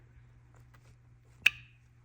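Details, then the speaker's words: BMW N54 single-turbo 335i with camshaft and VANOS faults (suspected hook ring failure): removed original VANOS solenoid actuated on the bench gives a loud mechanical clack with a ringing ping, unlike the quiet, clean-sounding new ones. "you hear how loud and mechanical that is that's that one here's the other one very similar you can kind of hear it pinging"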